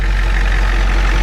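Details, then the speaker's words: 1993 Ford E350/E450 box truck, 7.3 IDI diesel, started after sitting a year: deep steady diesel clatter at idle with even unchanging beat, no stumble, misfire, blow-by or smoke; engine healthy. "The engine is in good running condition. It brakes good and everything. You see, there's no smoke. This engine is really healthy. It sounds like an IDI, it runs like an IDI, and it's gonna run forever."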